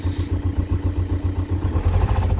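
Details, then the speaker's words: VW Golf Mk5 1.9 TDI, camshaft rattle on and off for over a year then persistent with misfire: rough uneven clatter at idle, worse past 1,500 rpm; worn top-end camshaft, replaced. "when the top ends right in on them you can still drive them but you gotta keep their revs they're really low like don't even let it go past one and a half because that's when it starts rattling"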